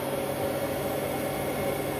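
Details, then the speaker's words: Bosch Serie 4 WAN28001 washing machine on test wash: spin after the wash, water pumped out, load warm, heated to about 40°C; steady mid-pitched whir, no thumping, grinding or scraping, normal spin. Machine was discarded with no apparent fault. "Yeah, I don't know, it's weird, very weird. But it seems fine, everything sounds good."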